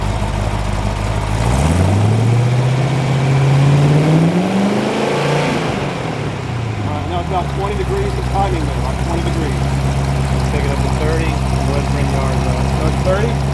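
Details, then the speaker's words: Chrysler 318-to-349 stroker on the engine stand at first firing, for a '73 Barracuda project, revved to check timing advance: the deep V8 note climbs smoothly, then settles back to a steady lumpy idle with no knocks or misses; normal revving. "Oh, solid performance."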